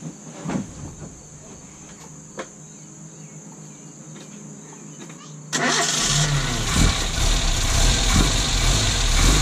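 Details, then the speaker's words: 1972 Datsun 1200 coupe restarted after a long sit, after the fan belt was tightened and a fuel hose replaced: a loud harsh whirring roar over the idle. Owner suspects the alternator or water pump; there is also a coolant leak. "so i think it's a uh alternator problem or a water pump problem that's making that horrible horrible horrible noise"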